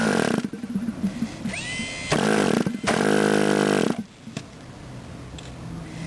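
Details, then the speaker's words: Model airplane glow engine after starting: sharp buzzy throttle bursts, then it drops to a soft steady low idle with no misfire or surging. Normal idle. "you're going to want a nice quiet idle like that"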